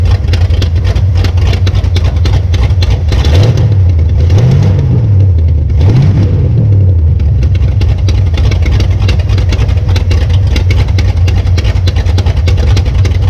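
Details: 1966 Belvedere V8 after swapping a flooding cheap Quadrajet for a rebuilt used Edelbrock carburetor: even idle then two clean throttle blips rising and settling, no stumble or misfire; normal running.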